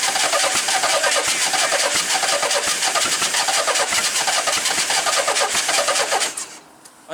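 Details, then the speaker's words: Project car bought cheaply, started after a bad clutch switch was bypassed. It chugs unevenly, seemingly firing on only one or two cylinders, then dies. It earlier smoked heavily and smelled of burnt oil. Misfire, cause unconfirmed. "sounds like it's only firing on maybe one or two cylinders at a time"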